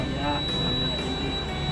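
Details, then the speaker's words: ALS bus 384 with an idling diesel: continuous high-pitched low-air warning beep while the air tanks are not yet full, as at start-up; normal until pressure builds. "Suaranya apa bang? Dengungi suaranya apa? Ini angin belum penuh. Oh, kalau belum penuh berarti ya."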